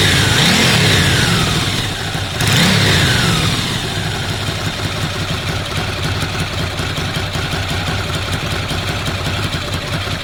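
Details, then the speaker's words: Ducati desmo twin restarted just after a timing belt change: short blip of revs settling into a lumpy twin idle with a light even dry rattle about three per second; normal dry clutch noise, not a fault. "anyone wondering about the particular sound you getting the engine it's the touches on Ducati they make that ticking sound take 250 tttt chicken it's not false it's the clutch"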